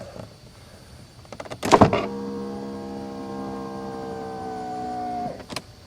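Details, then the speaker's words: 1991 Mercedes-Benz 420 SEL, right rear power window: a smooth motor hum for about three seconds with a clean stop; the motor and regulator work normally, but the glass moves only a few millimetres and is not following the regulator. "it sounds like the like a regular power window actually the regulator goes all the way down stays down and sounds normal but the glass only moved just a few millimeters"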